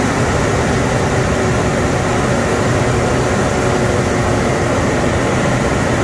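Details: 2007 Ford Explorer after swapping back from an electric fan to a new mechanical clutch fan; steady, even idle with smooth fan rush, idle drops after a minute as normal; fan later found rubbing a hose; normal idle.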